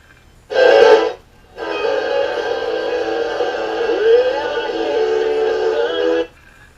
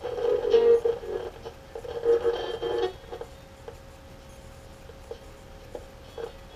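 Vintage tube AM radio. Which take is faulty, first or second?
second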